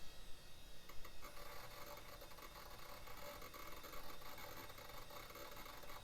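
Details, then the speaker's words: 1990s HP Vectra tower PC with Pentium MMX: steady whirring rasp from the hard drive with faint irregular ticks, clunks and occasional metallic tinging while seeking during boot; hard drive failing. "oh clunk making it I think that drive is definitely not healthy"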